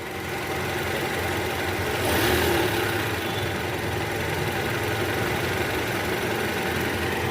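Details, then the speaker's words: 2012 Toyota Camry 2.5 V, 2AR 2.5L petrol, 106,000 km, after balancer shaft replacement curing cold-start rattle from oil pan area: smooth even idle with brief rev rise, no rattle or ticking; normal idle. "Guys sekarang suara mesinnya jauh lebih halus ya dibanding awal sebelum kita ganti balancer Sharp tadi"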